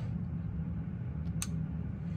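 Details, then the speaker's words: Central AC after replacing a dead thermostat with a White Rodgers Emerson Series 80, set to 60 to call for cooling: single crisp contactor click over steady hum, then compressor and condenser fan run; normal start. "okay we're walking up to the condenser as you can probably hear our compressors running obviously fans running and pretty cool air coming out"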